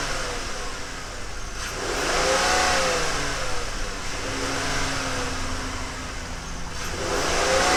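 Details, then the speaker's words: Ford Flex 3.5 NA V6 started after spark plug change: clean even idle, then smooth rises and falls in revs with no misfire, stumble or ticking; healthy. "Okay, now that we have all of the spark plugs put back in, everything put back on and mounted and clipped up and supposed to be where it's supposed to go, let's fire it up and see how good this thing runs."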